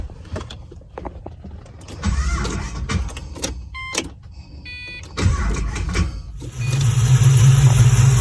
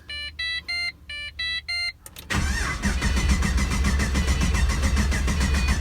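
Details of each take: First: Pontiac GTO with original fuel pump reinstalled and reconnected to the regulator, fuel pressure at 50 psi, battery a little weak: several seconds of uneven cranking and stumbles, then it catches and settles into a steady, even idle; normal start and idle. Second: Pontiac GTO: pump heard coming on, a few chimes, then steady even cranking that never fires; gauge shows no fuel pressure, so crank-no-start from no fuel pressure.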